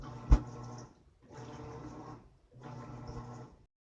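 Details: Brand-new Whirlpool high-efficiency top-load washer WTW4715EW, installed the day before, in the wash cycle: a loud, low blender-like whirring drone in bursts of about a second that lasts the whole 30-minute-plus cycle. The Whirlpool technician says it sounds normal.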